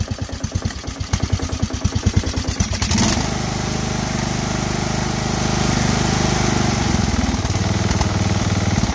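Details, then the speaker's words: Briggs & Stratton small engine that came in with a vent valve: rough pulsing start settling into a fast, uneven run with a dull, pronounced knock from the bottom end, a rod knock. The choke is also not returning. "i'll take a quick video of this you hear that hear that rod knock on the bottom this came in with a vent valve"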